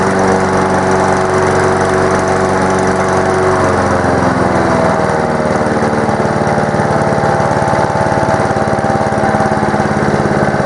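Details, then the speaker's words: Honda lawn mower after servicing, running with a deep, even, mushy airy growl under the exhaust, no misses or knocks; slight smoke blamed on the mower being tipped on its side during blade work; normal running. "now another thing to note is the noise that it makes as you can hear here it's making a more mushy Airy noise"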